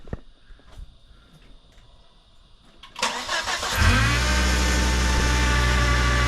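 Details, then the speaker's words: 2006 Volvo XC70 after new downpipe and full exhaust with muffler, one clamp possibly short: quiet, then clean start and revs settling into deep steady idle, no ticking or puffing leaks, quieter than originally planned muffler; normal exhaust sound. "all right doesn't sound too bad at all not too bad at all at Muffler it's not it's not as loud as what uh what I was originally going to put on it"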